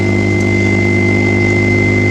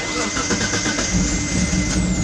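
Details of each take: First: Mitsubishi 3000GT VR4 with new radiator, fan shroud, alternator and relocated battery, not run in a while, weak battery, idling after the alternator picks up: steady even idle, low drone, faint fixed high whine, no misses or knocks; runs fine. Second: Mitsubishi 3000GT VR4, not run in a while, with relocated battery: starter turns slowly, about four chugs a second for three seconds, before catching and settling; weak, nearly dead battery drags the crank, runs nicely once alternator picks up.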